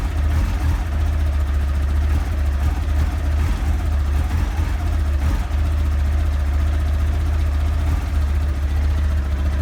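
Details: 1989 Honda CBR1000F, fine until a few days ago, running 2014 CBR1000RR stick coils: four-cylinder idle with deep uneven thump and occasional stumbles; misfire at idle, owner suspects it may need new plugs.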